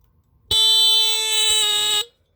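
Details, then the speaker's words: Old battery-powered Tanita Mfg. Co. No 2 heat alarm (sounds at 145–165 F), tested with the bottom test strip: one loud, steady buzzing horn blast of about one and a half seconds; works normally. "oh cool well at least we know it works oh there it goes"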